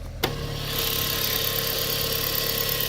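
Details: 2001 Mk4 VW Golf, 1.8T AWP turbo engine, stock exhaust before removal: quick crank and catch, then smooth even idle with light turbo whistle; normal start and idle.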